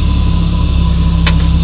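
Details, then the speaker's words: Old gasoline Jeep pickup idling, intake butterfly creating vacuum to suck waste veggie oil into a home-made tank; steady low hum, no stumble or hunting while vacuum builds from about 2 in; normal idle under vacuum load. "but it'll pull on this you can hear the still running fine uh within a oh 2 or 3 minutes It'll have it up to 15 in of vacuum"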